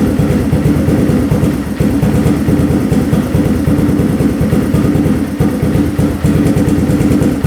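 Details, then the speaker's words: 4x4 ATV that sat for years, after checking float height at 21.77, turning fuel screw in 3/4 turn from 2 turns out, stock pilot jet: single cylinder idles low and fairly even with a steady beat. "All right, it's idling pretty good now. Nice and low."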